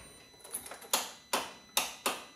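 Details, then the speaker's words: Polaris 570 ATV: four sharp solenoid clicks about every half second with no cranking; battery read below 11 V, a new battery made no difference, and still clicked with 15 V from a jump starter; owner suspects solenoid, starter replaced. "and um you can hear the clicking in the Solar noid and I was looking at the volts and it was below 11 volts on the voltmeter here"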